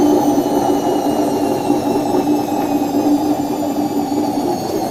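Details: Washing machine during the spin cycle: loud steady roar with a droning hum, like a jet rumbling; caused by a worn tub bearing, fixed by replacing both bearings and the oil seal.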